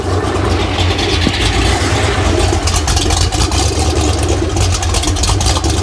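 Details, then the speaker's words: Freshly rebuilt Ford 302 small-block V8 (E7 hydraulic roller block, F-303 cam, GT-40P heads, T5 manual flywheel) at first start, slightly warm: steady quiet idle, no clatter, good oil pressure; owner suspects carburetor causes a slight surge. "so yeah it's running super nice and quiet no clatter or noise at all I just can't get this little surge out"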